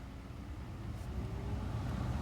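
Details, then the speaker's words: 2011 Ford F-150 with touchscreen radio, after replacing the A/C blower resistor (the blower had only worked on max): at speed one over the idling engine, a low steady rush swells as the blower steps up, so the blower now works normally. "okay oh i can feel it already okay so we are at one yep it's working awesome"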